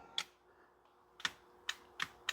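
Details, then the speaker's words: Relay clicks with no motor hum from a 2011 Ford F150 10-way passenger power seat that moves forward/rearward but not up or down; a new seat switch fixed it: faulty power seat switch. "but no action for rear but I can hear the relay clicking"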